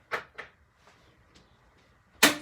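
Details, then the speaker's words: 2020 Jayco Jay Flight 38FDDS travel trailer cooktop: irregular sharp igniter clicks with long gaps, then a louder burst; burner slow to light while air and bubbles clear from new propane lines. "stove is a good place to clear those propane lines of air and bubbles. There you go. First couple times you light this, you might run into that because new campers, we test the propane system and"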